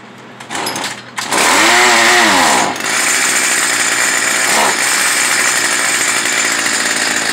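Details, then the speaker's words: Stihl FS 55R trimmer during carburetor adjustment: starts, then revs sag and drag when the throttle opens before settling; bogs under throttle, adjustment did not cure it, likely needs a new carburetor. "this one is bogging down when you hit the gas it bogs out so you'd be turning it counterclockwise sometimes it runs rich"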